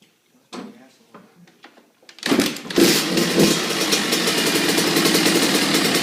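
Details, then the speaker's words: Kawasaki KX85 two-stroke dirt bike with full FMF exhaust, cold start: a few kicks, then catches and settles into crisp even idle with raspy exhaust; healthy cold start. "it's got a full FMF exhaust system and now my friend's gonna crank it up for you guys"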